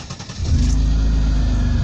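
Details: 1988 Mercedes 300SE, about 309,000 miles (possibly nearer 400,000), restarted after a new fuel pump, new water pump and fresh gas. It cranks briefly, catches at once and settles into a steady, deep, even rumble: a healthy start.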